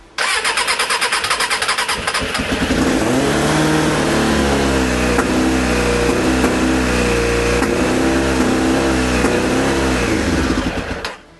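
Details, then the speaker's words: Suzuki Bandit 600 four-cylinder after carburettor work, previously firing on only three cylinders, with battery charger connected: cranks two seconds, catches, then idles unevenly and coughs off choke. It runs only with a little choke; owner suspects one cylinder. "It doesn't like running without a choke, does it? So, it's a little bit of choke. But you can hear it coughing and spluttering again."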